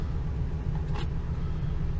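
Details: 2002 Ford E350 Econoline, 5.4 Triton V8, a little over 100,000 miles, after new spark plugs and one coil pack for a misfire and P0351 code; steady low idle rumble with no stumble, softened by outdoor noise; runs evenly.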